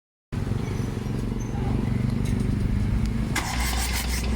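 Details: Crank no start: engine spins over on the starter with a dull, uneven churn but never fires; failed injectors are the stated cause.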